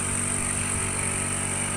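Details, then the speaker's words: Onida split AC, not cooling: outdoor unit compressor runs with steady low hum and thin hiss but no fan whoosh, outdoor fan motor not running; gas is present, compressor draws high amps and cuts off. "இது வந்து fan காத்துக்கு ஓடுது fan ஓடல பார்த்தீங்கன்னா case இருக்கு"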